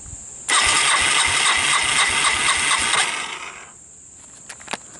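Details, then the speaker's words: 1985 Yamaha DX225 ATC on choke after an electrical repair: quick, even cranking at about two beats a second for 2.5 seconds without catching. Starting fluid didn't help and it seems not to be getting fuel. "So, um, you heard me cranking it and she she wouldn't fire up."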